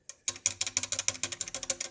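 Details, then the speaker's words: Nissan 370Z turbo build, engine pulled out: quick dry metallic clatter, about a dozen ticks a second, from a loose, bent wastegate flapper hitting its port on a relatively new turbo; wastegate flapper rattle, not worn-out turbo rattle. "the wastegate hitting hitting entry or the port or whatever the hell you call it right normally when a when a turbo goes out that's called turbo rattle"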